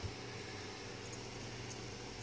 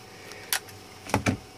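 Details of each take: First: Properly working extruder stepper motor on a DRV8825 driver (set to about 1 A, MKS board, Marlin) extruding slowly: low steady hum, no squeal, nowhere near as loud as the hot, squealing motor, and still ice-cold. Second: 3D printer extruder stepper on a DRV8825 driver set to about 1 A (MKS board, Marlin), extruding 10 mm at 5 mm/min: sharp dry clicks over a faint hum as each step ends. Motor runs hot and misses steps; driver suspected.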